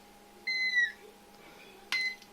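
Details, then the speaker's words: Kaon HDREC VM9130 satellite decoder that reboots and loses audio: removed capacitor on multimeter continuity gives two short high-pitched chirps (squeal from low meter battery); capacitor reads shorted. "Como podemos ver, está en corto, suena a continuidad."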